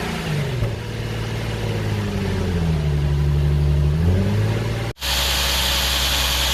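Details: Nissan 370Z during rebuild, running after fitting a new battery; runs smoothly, revs dip and climb back cleanly, idle stays even with no knocks or misses, normal idle and revving.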